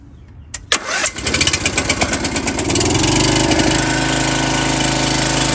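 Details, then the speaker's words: MTD Yard Bug riding mower after a gear shift cable replacement for a no-reverse problem, with only a little gas in the tank. Quick crank with a few pops, then the single cylinder settles into a steady, even idle: normal start and idle. "let's start this thing up it should start up on the money"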